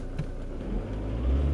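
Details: Car after installing new fuel injectors and programming them with an Autel DS708 scan tool; the old worn injectors had cut out uphill on cruise control. Brief smooth engine note rising slightly on a light rev, with no misfire or ticking. Running normally.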